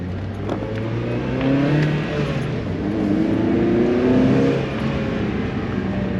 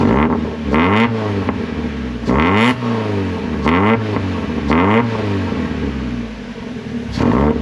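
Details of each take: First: Miata put back to stock exhaust and intake after a state referee ticket, driving pull; engine note climbs smoothly, mostly intake hum, barely any exhaust, no rasp or drone; unusually quiet, feels slower. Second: Miata with axle-back muffler removed, leaving cat-back with resonators; about six sharp revs over ten seconds, each a raw, loud rasp with crackling pops on overrun; loud exhaust from removed muffler.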